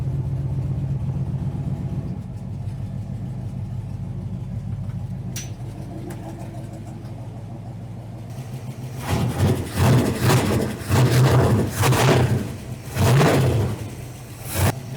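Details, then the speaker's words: 1972 Suburban with LT1 V8, first start after sitting 40+ years, oil pressure just over 50 psi; quick steady ticking about four a second over idle, then revs, lifter tap on both sides, cause unknown, owner may check valves; lifter tap. "got some lifter tap going on little over 50 PS ofis on the oil pressure"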